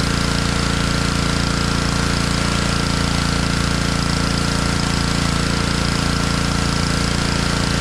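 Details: Honda pressure washer that sat all year in a basement, after cleaning water from its carburetor: steady, even thumping at about 214 beats a minute with a smooth exhaust note and no misses; normal running.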